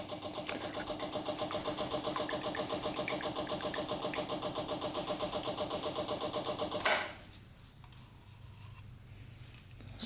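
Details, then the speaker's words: Long-stored custom pulling tractor with swapped 500cc Honda motorcycle engine, first start: uneven, lumpy, stumbling run for about seven seconds before dying; fuel pump shows rusty, water-separated fuel, suspected cause of the rough running. "looks like there's some water separation as well going on not good that's probably why i only ran for a couple seconds"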